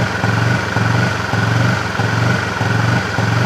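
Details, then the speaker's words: Honda CB fuel-injected motorcycle with stumbling under throttle despite five services: uneven low putter with a stumbling beat, about 105 pulses a minute, as throttle is opened; scan shows throttle position sensor stuck reading zero, faulty TPS causing hesitation. "Ayo saya naik nah sampai nanti yang bunyi kacau noh Apakah ini berubah ini harusnya agaknya buka ini mas"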